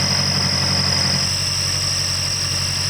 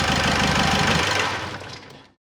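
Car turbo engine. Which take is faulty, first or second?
first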